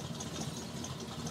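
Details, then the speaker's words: 1985 Chevrolet pickup, carbureted with electric choke, cold start around 30°F after three weeks sitting: fast, uneven, lumpy cold high idle with light rattle, nearly dying; rough cold high idle. Owner suspects something missing off the carb; unconfirmed. "almost sounds like it's gonna die, but it won't. And I think after the electric choke tells it to, it's gonna open up a little bit, and then idle will start smoothing out some."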